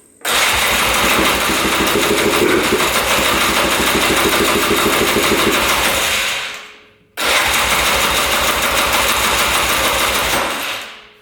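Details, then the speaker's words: 2002 Polaris Scrambler 400 4x4 ATV, all original, choked on first start attempt; two bursts of rapid chuffing about three per second, each dying after a few seconds; starts briefly then stalls; owner suspects low compression once oil left the cylinder. "all right looks like it started up there for a second and then died and now won't uh res start"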